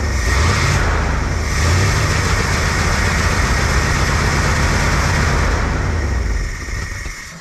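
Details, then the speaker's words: Dodge W300 dump truck engine running steady and even after the carburetor float bowl was cleaned of a suspected clog or stuck float, smooth low rumble with no misses or stumbles; now normal running. "that's sounding better I think I angered that Hornet though"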